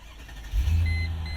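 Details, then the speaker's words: 2000 Mercedes-Benz ML55 AMG, 5.4 L V8, 5-speed automatic, 22 years old with many dash warning lights on: a short crank, then it fires at once into a deep, steady, healthy rumble. It starts easily with no starting problem. "And this thing fires up with ease. There's no problem when it comes to just starting."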